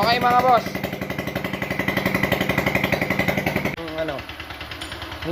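Quick even starter churn for about three seconds, then it cuts off with no run-up; the scooter engine cranks but won't fire.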